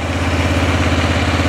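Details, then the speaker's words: Arctic Cat 400 ATV after replacing the flywheel rotor to fix a sudden no-spark fault: fires right off, then idles back down to steady even single-cylinder thumping with no misses, knocks or ticks; fixed, normal idle. "now starting to idle back down a little bit there we go motor sounds good everything sounds really good on it"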